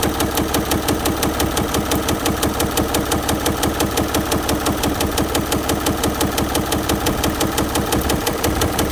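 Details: Audi engine at a steady idle with a sharp, regular knock that keeps time with engine speed: rod knock.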